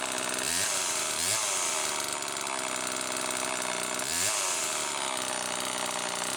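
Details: Homelite XL-2 chainsaw after bar maintenance, test run checking oiler: loud buzzy two-stroke rising and falling with throttle about every second, picking up cleanly without bogging; normal running.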